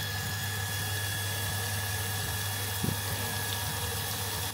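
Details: Small off-grid shower water pump running after its broken car-lighter power cable was replaced with a new lead, gas water heater on: a steady low hum with a thin constant whine over running water, never wavering; running normally.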